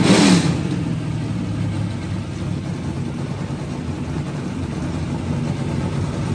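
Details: 2003 Ford Taurus NASCAR stock car, Roush Yates carbureted V8, first start after oil system work: deep loud roar holds steady with no misses, popping or knocking; running cleanly, carb working without cleaning.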